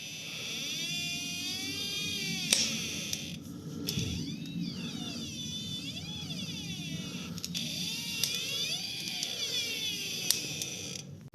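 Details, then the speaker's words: Toyota Fortuner 2 left front wheel: a constant high, rubbery squeak at low speed, wandering in pitch as the wheel turns. It is suspected to come from a seal between the inner CV joint and its housing; cause unconfirmed. "Там скорее всего стоит какой-то сальник и он поскрипывает. Почему он поскрипывает я не знаю."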